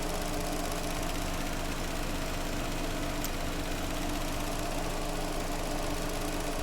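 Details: Vauxhall Astra four-cylinder after replacing the coil pack (cylinder 2 had been arcing): smooth, steady, even idle with no skips or stumbles; misfire gone, all cylinders firing.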